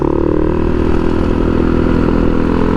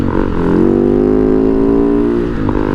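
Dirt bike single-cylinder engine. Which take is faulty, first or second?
first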